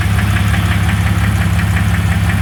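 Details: 2001 Jeep Cherokee 4.0 at steady idle with a sharp, regular bottom-end-style knock; the flexplate is new, and the cause is undetermined.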